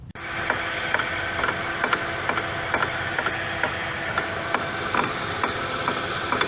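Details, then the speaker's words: Chevrolet Lacetti, right side, after an outer CV joint replacement, running in gear with the wheel off; rhythmic metallic knocking about twice a second as the hub turns, caused by the front wheel hub left unclamped. "выяснилось это ступица [музыка] чему не зажата и получается такой характерный звук"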